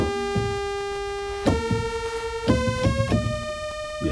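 Held notes stay steady in pitch and level through each sustain, with no sag or drift; this keyboard's hold circuit is healthy.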